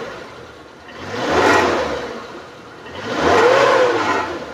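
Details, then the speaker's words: Suzuki Carry Carreta 1.0, year 2000, warm with normal temperature: two smooth rev-ups, engine rising and falling evenly with no knock or rattle; normal revving. "masih oke Masih normal kita naikkan rpm-nya juga masih normal suaranya masih oke"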